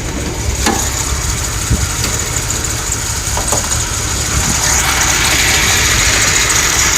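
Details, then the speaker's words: VW Jetta with an exhaust leak; oil, wires and rotor are new. It idles rough with irregular stumbles over a hissing exhaust leak, then dies. Misfire, cause still unknown. "all right good Idol this time you can hear the exhaust you can hear the misfire and then boom dies out"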